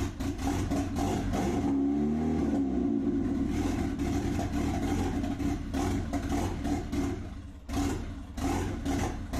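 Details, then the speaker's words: Turbocharged Nissan Pulsar after engine swap, fresh oil after fuel-diluted oil was drained, first start before tune is uploaded; uneven, lumpy running with swinging loudness and a stumble, won't hold a clean idle. "we'll run rough for a little bit I just got to upload the tune so I can actually [ __ ] idle"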